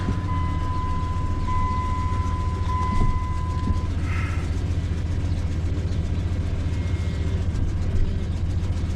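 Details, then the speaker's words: 2001 Dodge Dakota idling after power steering pump replacement and bleeding: steady low rumble with no pump whine; power steering works. "Alright, sounds pretty okay. I think it's got power steering."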